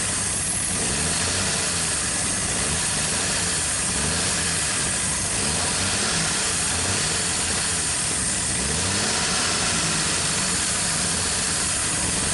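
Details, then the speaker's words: 1959 Chevrolet Apache engine after first start in years: sits at a fast, steady idle that never settles; carburetor throttle suspected not closing, possibly the fast-idle/choke piece. Cause unconfirmed. "an issue with the carburetor. For some reason it's not closing up. It's either wide open or something ain't right."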